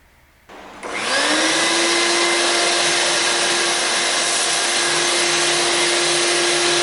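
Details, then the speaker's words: Shop vacuum after repair (bearings greased, rust cleaned off motor) that had squealed and smelled hot: switches on, spins up quickly, steady whoosh and even hum, good suction, squeal gone. "[Music] and that's just great it seems to come on it has good suction it no longer makes That Hideous noise it was making"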